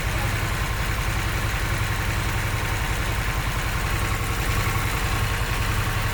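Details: Harley-Davidson Sportster S, 5 months old, after idling for a while: steady loping V-twin idle with a light ticking knock running through it.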